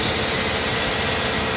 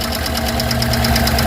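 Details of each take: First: 2009 Chevrolet Tahoe 5.3L V8 after engine repair for valve lifter noise, running with water pump and alternator not yet fitted: steady, even hum with no ticking or tapping; earlier side noise gone, idle smooth. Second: 2009 Chevrolet Tahoe 5.3 L V8 just after engine rebuild, first start without water pump and alternator: sharp light ticking about nine a second at idle from valve lifters on one bank; expected to clear with running.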